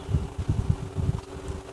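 Even, low hum with a soft steady whir and no rattle, tick or grinding; the fan motor runs smooth and quiet.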